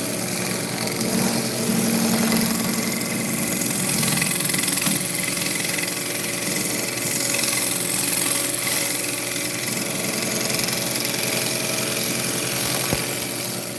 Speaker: I know you guys can hear that ticking in there. That's actually that right there. I've got a uh little bit of inclusion that's unsupport not supporting the uh grain behind it.